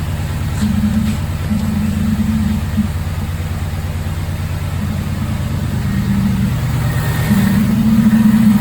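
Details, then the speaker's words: Supercharged Saleen, 1.6 L twin-screw blower at 8–9 psi boost on a stock two-valve motor; weird noise at startup from the intake, odd low hum over exhaust beat; owner suspects supercharger or engine internals, recently rebuilt. "makes a really weird noise during startup if anyone can help me diagnose this noise it comes from the intake so I think it's internally either in the supercharger and the motor"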